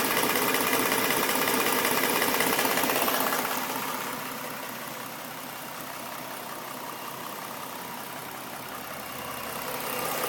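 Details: 2011 Ford Mustang V6, stock engine, 24,000 km, idling: fast even tapping about four per second, seeming from the passenger-side cylinder head; owner suspects a knock, unconfirmed.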